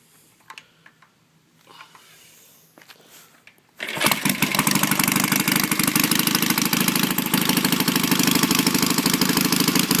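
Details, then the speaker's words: Cold start of a batteryless 1969 BSA/Triumph 650 twin chopper with carbs with built-in velocity stacks and a unipod filter, lights switched off to start: quiet, then the twin catches after about four seconds and settles into a steady, crisp idle, a healthy start. "Yeah, might as well start it up for you. Bike's cold. Now, since this is batteryless, you can't start it with power going to the lights."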